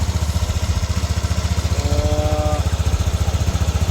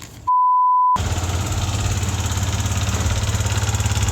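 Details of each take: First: Yamaha NMAX V1 scooter after replacing the exhaust rocker arm: an even, steady idle with no metallic rattle over the engine. The earlier rattle is gone and it runs smooth and healthy. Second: Yamaha NMAX V1 scooter idling: light metallic rattle riding each firing beat, three or four a second, like marbles in the engine; a mechanic called it normal, owner blames a worn exhaust-side rocker arm.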